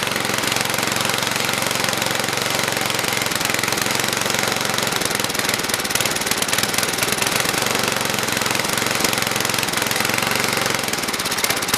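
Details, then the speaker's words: Toro 724 two-stage snowblower, 7 hp engine, unrun about 2 years, new fuel line, primed down the carb throat, now running off its own fuel: fast, uneven, chattering and stumbling; rough running, needs carburetor tuning. "It's going to definitely need some tuning work done to it, but we'll do that all in this episode. So it's running off its own fuel, so the float's working."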